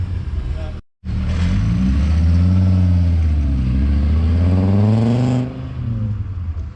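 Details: "Savoy" after repairs so nothing melts again: deep smooth five-cylinder note rising and settling evenly on throttle, no knocks or misfires; runs perfectly, sounds like an R32.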